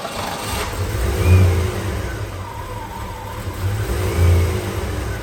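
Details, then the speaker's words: Foxbody Mustang 5.0 GT manual after new plugs, distributor cap, rotor, leads and air filter: V8 revs and settles with an uneven, lumpy beat and stumble, still misfiring; the owner suspects the fuel filter, which is not confirmed. "So it's still knock. So next thing, I actually reckon this is probably, oh my god, I reckon this is probably fuel filter because it's still not running great."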